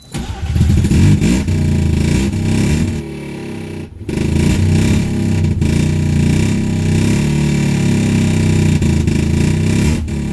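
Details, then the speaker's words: 1984 Mazda RX-7 GSL with a used replacement rotary engine and Weber carburetor, bad exhaust gasket: lumpy uneven idle with dips and catches, running on one rotor; no fuel to rear bowl suspected. "i don't think we're getting any fuel on that rear bowl so i'm gonna check that out real quick"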